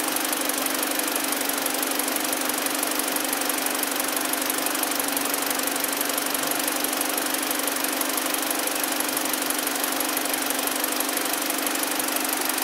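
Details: 2012 BMW 318i, about 52,000 km, after misfire diagnosis, engine warming at 48°C, oil 42°C, 14.8 V: smooth, even idle hum with steady pitch and no stumble, knock or hiss; running healthy.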